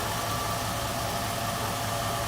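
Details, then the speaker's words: 1949 Cadillac V8 idling shortly after a cold start, hood open: even, steady, soft low rumble with no knocks, ticks or misses; very smooth. "Look how smooth that engine is."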